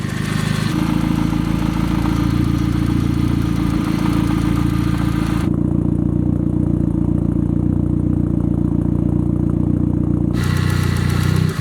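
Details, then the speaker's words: 1990 Mazda Miata racecar with a newly swapped engine; slightly rough start, then a steady even idle with a faint light lifter tick, considered normal for a Miata; healthy. "hopefully it starts first crank will find out a little bit of rough start a little bit lifter tick that's normal though it's a Miata"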